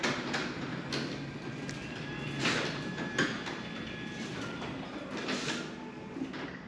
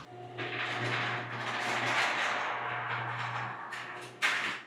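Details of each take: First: New Genie 6172H-0 wall-mount jackshaft opener on C.H.I 5916 insulated steel door with nylon rollers and 15 in radius track, about 40–45 dB versus over 60 dB for the old setup. Soft, even travel rumble, light roller clicks: normal quiet operation. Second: Old chain-drive garage door and opener closing, measured a little over 60 dB. Steady low drone with rattling, scraping travel noise ending in a sharp thud: loud, worn-sounding garage door closing.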